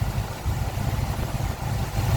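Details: 1976 Chevy C30 one-ton truck, spare-parts V8 with Holley/Edelbrock parts, warm idle: steady deep burble, even beat, no knocks or misses; owner says it runs great; normal healthy idle.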